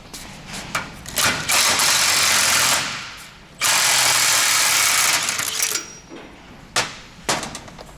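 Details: Harsh gritty rumble as a 1993 Toyota Soarer UZZ31 wheel hub is spun by hand before the bearing is pressed out, fading as it coasts down. Rusty balls inside; rough, worn wheel bearing, replaced with a new one.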